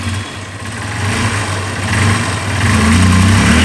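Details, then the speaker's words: Honda Unicorn motorcycle after replacing the carburettor slide set, whose rubber diaphragm had tiny holes: steady, low idle with an even beat swelling slightly toward the end; it sounds healthy, with no popping, hunting idle or bogging. "Race ஆகுது. வண்டி அமுங்கல்ல, ஐட்லிங்கே நல்லா இருக்குது, இன்ஜின் பீட்டும் மாறி இருக்குது."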